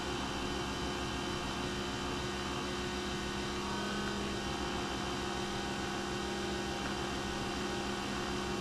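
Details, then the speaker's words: Nespresso VertuoLine after replacing the noisy spindle bearing: steady even whirring hum with constant low tone, no rumble or grinding, much quieter than before. "well that sounds much better and i think there's more chroma too i guess a new bearing will do that for you"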